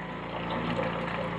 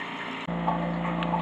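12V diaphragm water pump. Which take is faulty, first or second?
first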